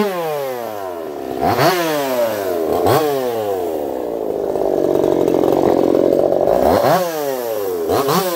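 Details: Echo CS-4910 chainsaw with experimental taper-top piston/crank swap, ported for open crank, test cuts: crisp high revs dip and climb cleanly while cutting, no bogging; runs a little warm, compression about 180 psi cold, 170 warm; normal running under load.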